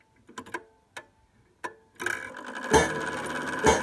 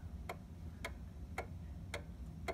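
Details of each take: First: 1800s clock chime: the hammer arm was bent too close to the chime wire, so a few dull, muffled thuds with no ring follow. The fix is backing the arm off so it barely taps and pulls away. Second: 1800s Seth Thomas OG clock after leveling and a tiny drop of oil: crisp ticks land evenly about every half second over a faint room hum; the clock is in beat and running nicely.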